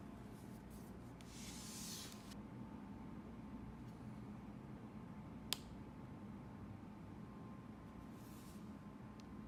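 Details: MacBook Pro 2016: one sharp crack from the laptop body over a quiet room hiss. It pops on first opening on cold mornings, then 3–5 times in the first 10 minutes, apparently with temperature changes.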